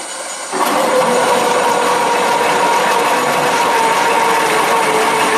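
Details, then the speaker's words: Drill press with pull gear planetary reducer in low-speed mode, 20 mm bit in an 11 mm pilot hole: steady hum and grinding, ratcheting cut whose tone sags as the bit bites. Drive bogs under load; owner unsure whether motor or belt slippage. "okay I could feel that drill bits slowing down I'm not sure that it was motor slippage or belt slippage"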